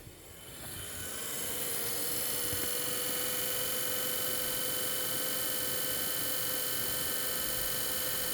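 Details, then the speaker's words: GPU fans manually run with no GPU or CPU load: one fan fine, the other spins up to a loud steady whirring whine with a rough rattly edge; that fan has thrown a bearing. "That's quite a bit of sound coming out of this side of the GPU. This fan is working fine on the GPU. This one is making too much racket."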